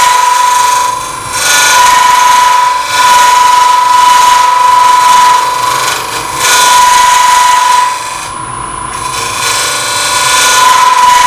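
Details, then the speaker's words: Lathe at about 1000 rpm turning open-segment oak and bloodwood vessel; light cuts produce harsh rattling chatter about four times a second as loose segments vibrate. "those touches are really light sounds bad because the pieces are vibrating"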